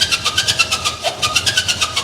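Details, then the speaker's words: 1957 Chevy Bel Air 'Night Stalker' barn find, first start fed via hookup wires to starter solenoid and coil: sharp high-pitched squeaks about eight a second in time with cranking and start-up; cause unknown, possible earlier transmission work. "Why does it sound like that? I something's squeaking in there."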